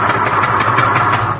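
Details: Knock on a TVS NTORQ BS6 scooter engine: sharp metallic raps about six per second over the running engine, a rattling knock. The owner suspects internal parts striking and the engine seizing, and plans to remove and open it.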